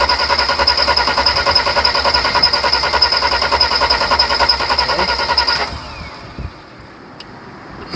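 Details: 1991 Mercedes 300SL no-start troubleshooting, injector lines cracked showing fuel dribble on cylinders two and five: starter cranks steadily at three-plus turns a second for about five seconds, engine never catches; back to original hard start, cause unconfirmed.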